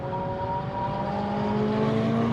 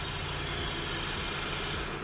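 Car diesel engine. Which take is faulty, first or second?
first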